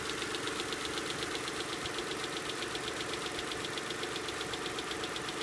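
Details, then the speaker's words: V6 idling after several uses of STP oil treatment for lifter tick: light sharp tick about four times a second still audible though improved; owner recommends replacing the lifters. "but like I said after a few times it it does improve it but you can totally hear it it still is"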